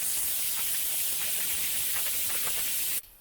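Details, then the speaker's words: ARB tire deflator on valve stem: loud steady hiss of air for three seconds, then cut off; plunger turned enough to fully unseat valve core from valve stem body, full airflow. "we just have to make sure we turn that plunger enough turns to fully unseat the valve stem core from the valve stem body and that's it we're now aired down"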